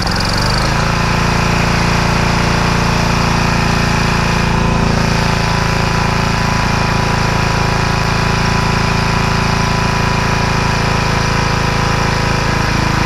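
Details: Free generator after repair, final test, started on choke with fuel on: starts within a second, then settles into a steady, even engine drone with no misses, surging or knocks; running healthily.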